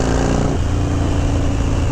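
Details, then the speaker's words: 1991 Harley-Davidson FXDB Sturgis V-twin with the original CV carb, a Screaming Eagle Stage 1 kit with a bigger main jet, and Python pipes: a deep, even rumble through throttle changes, with no backfiring on deceleration. "No backfiring on deceleration. You hear that? No backfiring at all. Just perfect purring."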